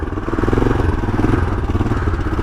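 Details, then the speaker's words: 1982 Honda XL500R single-cylinder motorcycle (carb changed), kickstarted cold with fuel and choke on, warming up on choke on a warm day; quick, even putter at slightly raised idle, starting to miss, owner soon turns choke off. "her warm up for a second it's a warm day today so I won't need the car the choke for very long get here it's starting to miss"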